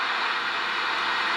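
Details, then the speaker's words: Kenwood TM-451 UHF radio, volume up, squelch at zero: steady, even hiss with no tone; the PLL is not locking because the VCO gets no control voltage. "so I have only set here my volume up a little bit, and yeah, let me put squelch to 0, so that we can hear the static."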